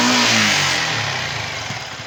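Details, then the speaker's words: Yamaha R15 V3 BS6, about 8000 km, after rocker arm replacement and clearance set: clean rev dropping away smoothly, no top-end ticking or rattle; three days' riding showed good pickup and no stalling, normal running. "எல்லாமே கரெக்டா இருக்குது அதே மாதிரி வண்டி three days drive பண்ணி பார்த்தேன் நல்லா initial pickup இருக்கு வண்டி அப்பப்ப ஆஃப் ஆக மாட்டேங்குது"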